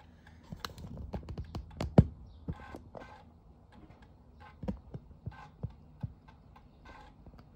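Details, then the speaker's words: Amiga 600 with newly installed GoDriVe, test reading a real disk in floppy drive: quiet irregular clicks and short buzzy seeks as the head steps, no grinding; drive reading normally. "Okay, so I've got a disk in the floppy drive, so I'll just change this to floppy drive. Can hear the floppy drive whirring away there."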